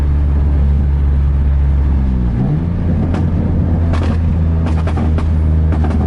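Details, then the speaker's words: Nissan 350Z driving with a major exhaust leak, sounding like open headers: deep, raw, unmuffled roar rising and falling with throttle. "I'm basically opening headers right now cuz I have my big ol exhaust leak right so I'm gonna try to launch a few guys"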